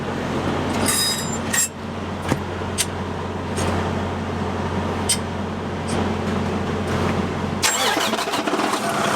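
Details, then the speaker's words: Detroit DD13 diesel truck started after replacing drive belts, pulleys checked spinning freely; steady idle with no belt squeal or chirp, squeaking fixed. "all right everything looks good no more squeaking that's it was a simple job"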